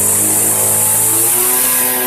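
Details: 1999 Weed Eater FeatherLite trimmer (Type 1 XPWES 0183LT) two-stroke, dormant over a decade, running after a new carburetor and fuel lines: steady, buzzy high-revving note with no surging or misses. No clutch, so the head spins with the engine; normal running.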